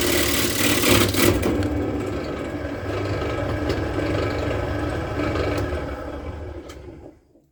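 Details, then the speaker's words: Wood lathe roughing a spalted birch firewood blank: motor whir with uneven scraping chatter and rough thumps, then spin-down, as the back of the blank spins on the drive; to be tightened to regrip. "What happened there was this bit at the back started to spin. So I just need to tighten up here. And that'll grab it again."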